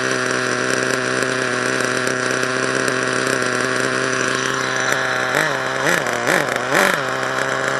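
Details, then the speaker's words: HPI Savage nitro truck, HPI 4.1 engine: holds a high, steady buzz then blips up three times, revving freely as if drive is not taking up; owner suspects a gear problem, not confirmed. "what the freak man I don't understand what's going on oh my God well I think that's the gear the gear made up feel it man"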